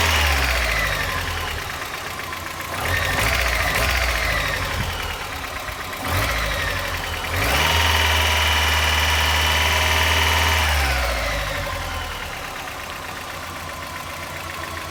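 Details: 1990 Mazda Miata at idle: quick even tick about four per second, rising with throttle blips; source unconfirmed, owner suspects a lifter.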